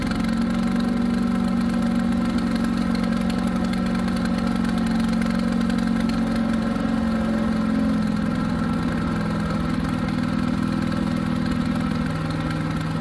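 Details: New Harbor Freight Predator 212 chipper shredder engine that only ran on choke, after fix, started on choke then half choke: steady even speed, constant hum, no surging or stumbling; running properly.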